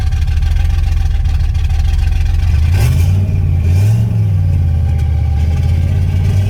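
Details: 1989 turbo Fox Body Mustang, cold, after a Melling high-volume oil pump install: a lumpy, uneven idle with a slight rev flare and a pulsing beat suggesting a miss. Oil pressure is dropping to about 30; the cause is unconfirmed.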